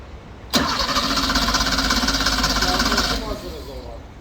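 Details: Porsche 911 Turbo Cabriolet hard start: starter churns at roughly three beats a second for almost three seconds before the sound fades; engine slow to start.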